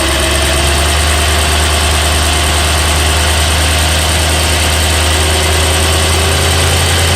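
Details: BMW E92 M3 with S65 V8 at 65,600 miles, oil changed a month or 300 miles ago: a light, fast ticking rides over a steady idle, louder cold and quieter warm but still present; cause not yet found.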